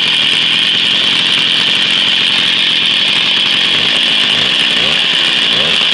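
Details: Jawa 50 type 05 moped, 1966 two-stroke engine, very first start after 20-year storage, rebuild and assembly, no cold break-in, original contact-breaker ignition and never-replaced coil; high buzzy steady note, no misses or knocks: normal running.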